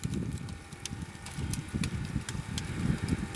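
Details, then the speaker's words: Homemade wood-gas gasifier reactor on a truck build, with an external fan motor drawing: steady low roar with scattered crackling pops, thick smoke forming, good ignition through the gasifier; normal draw. "all right I can I can tell right now by the sound that we're getting pretty good ignition through the"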